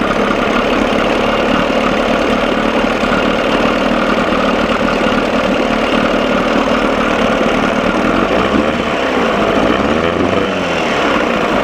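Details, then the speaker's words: 1987 Johnson 6 hp two-stroke outboard running in water, mixture screw about 1¼ turns out, engine running too cold: a steady buzzy run that turns slightly uneven and stumbling, missing a little, then sounds better after adjustment. "it sounds like it's missing a little bit that's better"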